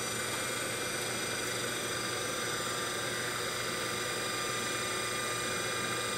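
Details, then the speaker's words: DC motor from a 1974 Karmann Ghia EV conversion, removed and spun on the workbench from an old weak 12 V battery sagging to about 9 V: clean, steady high whine with soft hiss, no scraping or clatter; sounds nice and smooth. "so everything sounds real good nice and smooth"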